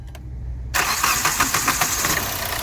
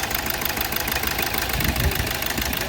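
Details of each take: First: 2012 Hyundai Verna Fluidic after ECM repair fixing cylinder 3 injector circuit fault: engine catches at once on self-start and settles into an even idle, knocking completely gone, cylinder 3 working again. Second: 2012 Hyundai Verna Fluidic at start/idle, cylinder 3 misfiring with error code, supply to it very low. Uneven, stumbling idle with heavy irregular knocking and engine shake.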